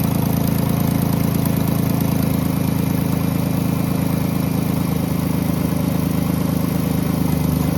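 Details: 2010 Jeep Grand Cherokee 3.7 at idle: faint uneven pulsing drone about four beats per second, seemingly from the intake on the driver's side; not valves or PCV valve, smoke tests of intake and exhaust found no leaks; unusual intake noise.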